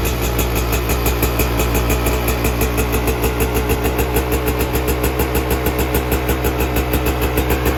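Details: 2024 Yamaha YZ125 two-stroke just after fitting FMF pipe and shorty silencer, JD jetting kit, Castrol full synthetic oil and new fuel mix, to cure jetting and plug-fouling issues; crisp regular idle about three pops a second, deep exhaust; healthy.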